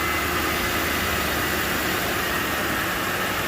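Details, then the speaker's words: Lincoln Town Car after replacing the cylinder 6 coil pack for a misfire: even, steady, smooth idle under a hissy background with no stumble or misfire; codes not yet cleared. "smooth yeah sounds good nice and smooth"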